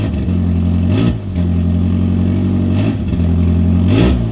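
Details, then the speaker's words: 450 hp turbo Hyundai Genesis Coupe on ethanol, just started after fire-damaged wiring repairs, in neutral: loud steady low idle drone with brief bursts of clatter, idle coming down as it warms. Normal idle settling. "Idle's coming down."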